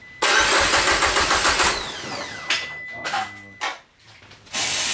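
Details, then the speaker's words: Peugeot 205 GTI with a swapped engine, first start attempt after fixing a missing ground, throttle wide open: the starter spins at about three to four beats a second with no firing. No ignition suspected. "je pense qu'il n'y a pas d'allumage et là commence une longue traversée du désert tout est branché ça semble fonctionner normalement mais impossible de l'entendre tousser"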